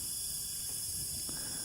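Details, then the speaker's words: Honda 300ex quad that smokes heavily, leak-down test at top dead center: faint steady hiss of air escaping from the crankcase shows compression blowing past worn or stuck piston rings. "all right right there is tea all right you can hear a little air coming out of here that means the rings are worn"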